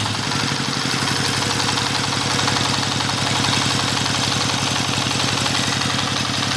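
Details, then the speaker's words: Dompeng S1115 single-cylinder diesel that pushed oil out the exhaust, after both loose valves were replaced with new valves and carbon cleaned: even, steady thumping at fast idle with no misses, and no white smoke in the first minute. Idles healthily. "nah ini masih satu menit pertama ini kita lihat aja dulu ya ini belum ada gejala tanda-tanda asapnya putihnya belum ada nih ya sobat diesel ini kita akan coba tes beberapa menit dulu ya"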